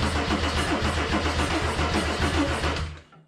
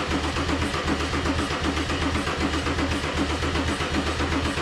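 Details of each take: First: Mercedes 190E (W201) with swapped OM606 diesel, OM603 mechanical fuel pump fitted: first cranking test before the fuel is hooked up, starter spinning the engine steadily and freely at about three and a half turns a second with no catch; normal cranking. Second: Mercedes 190E (W201) with swapped OM606 diesel, OM603 mechanical fuel pump and Holset turbo, first start attempt: steady cranking about one pulse a second that never catches; smoke from the EGR suggests fuel is injecting. Cranks, no start until the battery apparently dies; cause unconfirmed.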